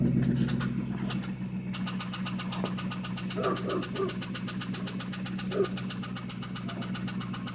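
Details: 1995 Lincoln Town Car with 326k miles at idle: about four light regular knocks per second, severe rod knock on cylinder 3; engine to be replaced.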